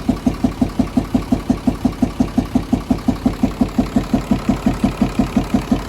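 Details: Nissan UD FE6 six-cylinder 24-valve truck diesel at idle: steady regular chuff about three times a second, loudest at the intake/air filter side; cause not yet found, head to be opened; faulty camshaft and valve seals suspected.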